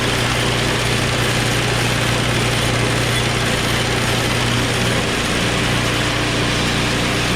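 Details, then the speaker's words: Small single-cylinder snow blower engine started on choke at high throttle: steady, even idle with fast firing pulses and no stumbles; starts right away and runs cleanly. "Beautiful. It started up right away. Good news."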